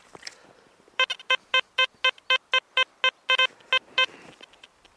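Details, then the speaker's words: XP ORX metal detector with high-frequency coil: a run of about a dozen crisp, evenly pitched beeps over quiet ground; a clean deep target, a coin about 8–9 inches down. "Oh that's quite a deep one I will have to keep going a little bit."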